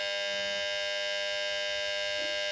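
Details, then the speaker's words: Refrigerator compressor drawing just over 2 A on a clamp meter: loud steady electrical hum/buzz with no running rhythm; compressor stalled, will not run, fault pinned to the compressor. "Ini pasti ke mesin karena dia berbunyi seperti itu tadi berdengung kencang ya dan tidak bisa jalan."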